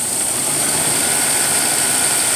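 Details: 1995 Ford Explorer 4.0 after cleaning, idle control set back up: even, steady idle held a little high with no hunting or surging; owner notes it previously idled rough and stalled.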